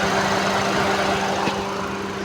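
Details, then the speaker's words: Maruti Ertiga, radiator cooling fan run by bridging its two connector pins with a wire: steady low fan hum over a smooth idle, no rattle or scraping; fan works properly. "वो देखिए चल गया sir पंखा चल चालू हो गया पंखा सर"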